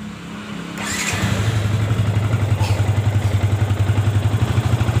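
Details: Yamaha Vixion motorcycle, previously stalling with code 46 and drained battery (13.12 V rest), started for charging test: steady, even low thrum, no knocks; charging reaches 14.12 V at part throttle, judged normal.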